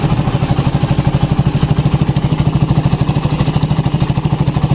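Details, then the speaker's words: Suzuki Satria FU 150 after valve clearance adjustment and ignition wiring reconnected: even low thumping steady idle, about three beats a second, no ticks or rattles; smooth, healthy single-cylinder idle. "Suara mesin lembut."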